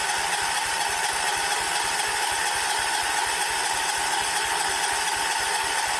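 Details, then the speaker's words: 1979 John Deere 214 tractor, sat for months: steady cranking with even compression beats that never catch; owner waits for the fuel pump to move fuel from the tank to the carb, and spark was later confirmed, so fuel isn't reaching the carburettor. "these ones have a fuel pump on them so it's got to Pump Fuel from that tank to the carb which is what it's doing right now that's kind of what I'm waiting on right now is the fuel to Pump from the tank to the carb"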